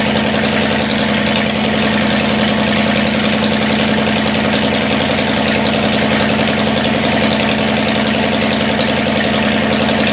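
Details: Cadillac 390 V8 after sitting 8 years, still cold and untuned: even, steady burble with smooth rhythm, no knocks or misses, idling a touch fast. Water pump leaking, accelerator pump boot chewed. Normal cold idle, slightly high.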